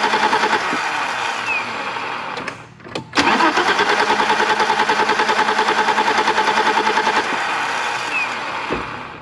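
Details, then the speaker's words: 1987 BMW 325i E30, sat outside after paint job, cranking at about three pulses a second without catching; still no fuel pressure, traced to the new under-car pump, with its hose suspected rotted from an in-tank pump problem. "Still no fuel pressure, but I finally narrowed it down after about 30 minutes of messing with this thing that it's this pump that's underneath the vehicle."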